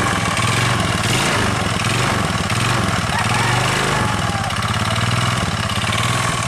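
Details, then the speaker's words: Older carbureted Honda Beat scooter, engine rebuilt five months ago, now noisy, weak, white smoke, thirsty: rough idle with harsh hollow knocking; piston slap suspected, plus crankshaft/connecting rod noise, full teardown needed. "dan yang paling parah Ini suara pistonnya saya yakin pistonnya ini bahwa plak makanya suara ibunya kasar"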